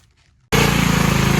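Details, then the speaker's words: Simplicity Serf riding tractor, small single-cylinder engine, after carburetor cleaned: catches and settles straight into a loud, crisp, even beat with no misses or hunting; best it has ever run; normal running. "Well, I'm confident in saying that this is the best she's ever run. Uh, very loud."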